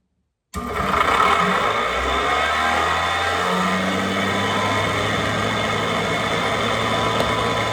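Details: Hardwood floor edge sander's motor, rebuilt and reassembled with wires zip-tied away from the armature, starts and spins up to a steady, even whir with a constant hum and no rattle; normal running.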